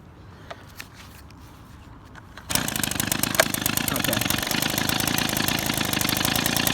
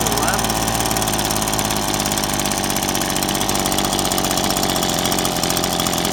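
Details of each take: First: Small two-stroke engine during idle screw adjustment: it catches and settles into a fast, steady popping idle. Turning the screw left slows the idle, and too slow would stall it. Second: Two-stroke engine after turning the idle screw down: buzzy idle slows to a lazy, uneven putter near stalling; idle speed set too low, needs turning back up slightly.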